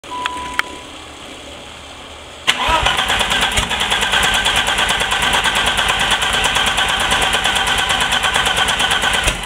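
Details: Turbo BMW E30 on WAR chip turbo base tune after installing 30lb injectors, running extremely rich, plugs replaced, constant check engine light: brief crank, catches, held at about 2000 rpm with uneven pulse; won't idle. Hard start, unstable idle.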